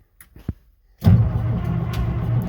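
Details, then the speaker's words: Case 2470 tractor diesel, 1975 or later, sitting about 15 years and previously seizing at a tight spot on cranking: after quiet, low, heavy, steady churning as the starter turns it over, getting faster, no oil pressure yet and no firing. "that sounds better no oil pressure yet [Music] it's getting faster"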